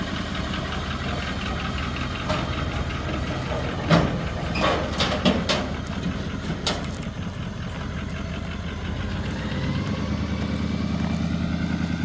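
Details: 2020 Chevrolet Silverado L5P Duramax diesel before an engine swap: rough, uneven idle with irregular heavy knocks. The worn engine sounds close to seizing; cause not yet known.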